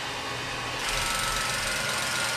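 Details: 1934 Bell & Howell Filmo Model 57 projector, an auction find, projecting old film: a steady, even whirring clatter kicks in and holds an unchanging rate. The mechanism is running smoothly and advancing film normally.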